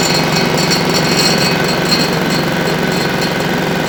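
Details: Single-cylinder diesel on a Winget mixer, stood a couple of years without starting, running after repair: steady thump around three beats a second, no knocks or misses, even and fairly quiet; normal running.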